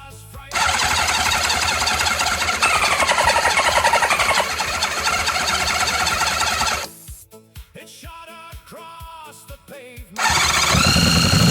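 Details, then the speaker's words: Honda CB750 barn find, 65,000 miles, sat outside for years and seized: engine catches on starting fluid, runs rough for several seconds, then sputters and dies; won't run on its own fuel. "Time to replenish the fuel, see if we can make it run on the fuel itself alone. I don't really like this starting fluid, but sometimes you've got to use it."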